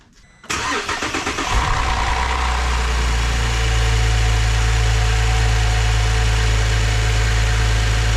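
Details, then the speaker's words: 2010 Holden VE SV6 3.6 SIDI V6 after timing chain and oil pump replacement, oil primed by cranking with fuel pump fuse pulled: short crank, then steady even idle, no chain rattle or ticking; normal idle. "but uh yeah she's running she's a lot better than it was before"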